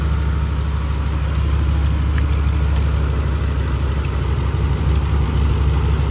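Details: 2011 Ram 1500 5.7 Hemi 4x4 running after a temporary fix for a months-long crank-no-start condition (fuel pump relay suspected); steady low V8 idle with even rumble, no misses or knocks, running smoothly.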